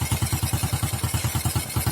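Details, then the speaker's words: Motorcycle converted from fuel injection to carburetor, at idle: even rapid chuffing about nine pops a second, sharp and puffy; the rusted-through lower exhaust pipe is leaking through a hole. "jadi kayak gini ini namanya bocor Bro"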